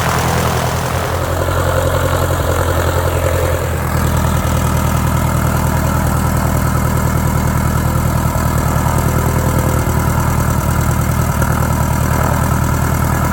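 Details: 1946 J-3 Cub engine at first start after a four-year restoration: an even, steady low thrum while idling and running up, firing smoothly without skips. Mags and carb heat checked good. Normal idle and run-up.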